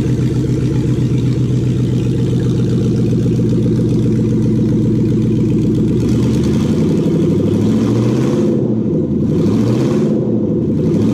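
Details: Toyota UCF20 1UZ-FE VVT-i V8, freshly prepped for a hot rod after cam belt, water pump, crank seal, thermostat, idlers and loom connector plugs were replaced: smooth even idle, clean blips climbing and settling back, no knocks or ticks; healthy engine.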